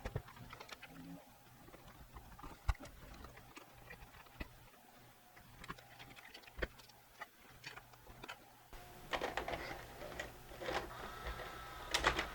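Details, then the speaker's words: Mitsubishi HS-U760 S-VHS VCR after a new loading belt and pulley cleaning: quiet whirring with light clicks as tape loads and ejects smoothly; previously the loading motor slipped. "so far it looks great it loads everything's perfect let's see if it gives the tape back real quickly absolutely perfect"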